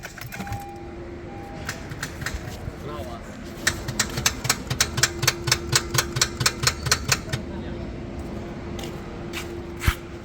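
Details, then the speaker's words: Honda Civic that won't start after the starter was changed, battery 12.4 V and OK: a run of quick light ticks at about two a second with no cranking. Diagnosed as a fault inside the self-starter. "मगर गाड़ी start नहीं हो रही है। Self जो है वो इस तरह की साउंड दे रहा है। टिक टिक कर रहा है। जैसे स्टार्टर करने कोई इशू हो।"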